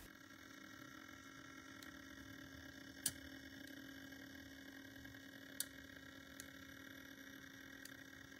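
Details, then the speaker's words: Broadway Limited Paragon 4 model steam locomotive; sharp metallic ticks at uneven gaps, about one per second, over faint motor hum, from the front driving wheels, heard as it loses track power and runs on its capacitor; exact source not isolated. "do you hear all that clicking in there right before the power died that is coming from the front it's coming from the driving wheel somewhere"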